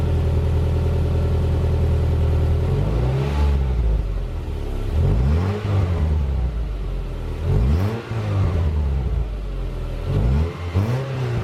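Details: 2010 Subaru Impreza with newly welded-in Magnaflow 11366 stainless performance muffler replacing restrictive stock one: deep, smooth four-cylinder burble swelling cleanly with throttle blips; better than stock, normal exhaust note.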